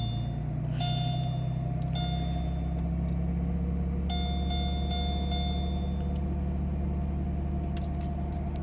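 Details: Car in winter with no-crank problem, blown cooling fan fuse removed, then started: steady even low rumble with no misses, knocks or hunting; engine idles cleanly.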